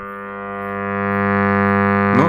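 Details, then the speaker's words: Raduga-7 just plugged in: steady loud low buzzing hum with even overtones coming clearly from the loudspeaker; no other noises heard, cause undetermined. "явно идет из динамика посторонних звуков пальцы нигде не слышу"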